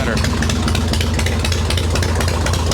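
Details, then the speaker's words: Cold-started Harley Evo Softail V-twin idling steadily after loose intake bolts, a cracked vacuum cap and the idle screw were fixed, with no choke and the mixture untouched. Even low thumping, no stumbling; normal cold idle. "this is what it's supposed to sound like idle returns like it's supposed to this is an ice cold motor too so you really don't want to mess with tho"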